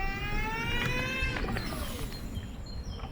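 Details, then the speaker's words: Scoozy S800 mobility scooter during woodland off-road test; thin high whine from the drive motor dropping in pitch as it slows over rustling ground; cause unknown, owner worries it indicates damage. "Yeah, I'm sure you can hear that whine. That's quite pronounced."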